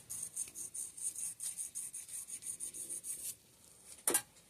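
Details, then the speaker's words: Fox DPS Evol rear shock (damaged) teardown, eyelet bushing turned by hand: dry rasping scrape each back-and-forth stroke, about four a second, rough and catching; bushing worn and gritty. "Okay so there's one bushing there's one bushing here obviously it's not around anymore but you hear the abrasiveness in it it's even"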